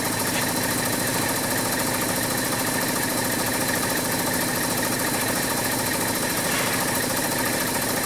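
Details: 2004 VW Touareg 3.2L VR6, no power, misfire and injector short codes cylinders 4–6: idle smoother but still lumpy with cylinder 5 coil unplugged; shorted number five coil was blowing the fuse.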